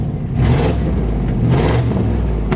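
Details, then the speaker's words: 1951 Ford F1 short-bed pickup with cherry bomb mufflers, three-speed manual: deep, raspy, blatting exhaust blipped twice over rough idle; exhaust leak through a hole in one cherry bomb muffler makes it sound loud. "it's got a little bit of an exhaust leak you can hear it it's got a really nice sounding exhaust system though"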